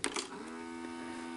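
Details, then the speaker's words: RCA VCR with the electrical side repaired, tape inserted and play pressed: a couple of clicks, then a steady faint motor hum but no tape movement, play, fast forward or rewind; owner suspects a bad belt or worn idler tire. "you put a tape in and you hit play and it won't do anything you hear the motor running and that's it"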